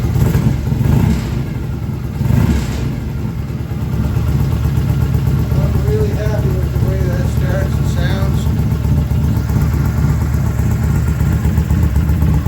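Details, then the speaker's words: Freshly rebuilt BSA twin engine, first start indoors after setting ignition timing and adjusting the carburetor. Even idle with clean pickup on blips and no misses or rattles; good oil return flow, oil light out, charging. Normal idle and revving. "little walk around here that sounds really good the exhausts really nice and even for inside the building here"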